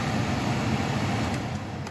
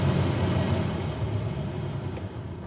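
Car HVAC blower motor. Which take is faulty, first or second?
second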